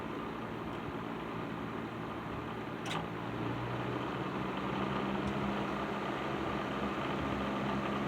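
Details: Patton 12" box fan, later model with black Fasco motor, after servicing, started on low speed; steady even whir with faint light rattle, less than before, no grinding; normal running.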